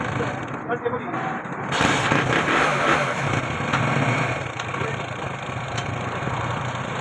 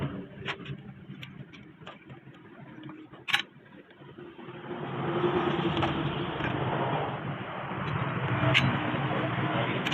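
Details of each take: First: Honda 70cc motorcycle after timing chain replacement for chain noise: small single catches after a brief crank and settles into a steady, even idle with no rattle from the top end; normal idle. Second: Honda 70cc motorcycle: a light, fast ticking of about three per second over the small single-cylinder idle. Timing chain noise, suspected from a slack chain and worn tensioner.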